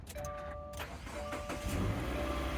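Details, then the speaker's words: 2017 Subaru Forester with a suspected bad battery, jump-started from a jump pack after connecting red positive then black negative: the starter cranks briefly, then the engine catches and settles into a steady run, confirming a dead battery. "so see it starts so at this point we know for sure it's the battery"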